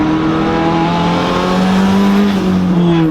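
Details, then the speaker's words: Turbo Honda Civic EG on stock internals after boost cut raised to 22 psi: engine climbs steadily through a hard pull at 20 psi with no stutter or cutting; normal full-boost acceleration. "Dude, that was good. That was 20 pounds, and it was a pull."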